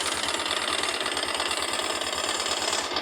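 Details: Honda NX-400 Falcon single-cylinder at idle with a sewing-machine-like clatter over the low thump, seemingly from the cylinder head; the noise appears only when the bike is leaned to the left (magneto) side. Cause unknown.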